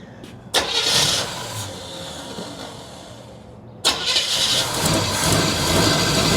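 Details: 1976 Chevy long-bed half-ton, parked for years with a bad water pump, first start after carb priming: long crank, a stumble, then it fires and settles into a steady, even run with no knocking and good oil pressure.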